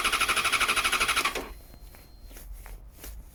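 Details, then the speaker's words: 2014 Yamaha XJ6S Diversion, under 12k miles, stolen-recovered and found partly dismantled: about a second of brisk starter cranking after cycling the fuel pump, with no firing. Water in the tank was suspected. "What I'm concerned is that water got into the tank, so it may be just trying to start on water at the moment, which is never a good idea."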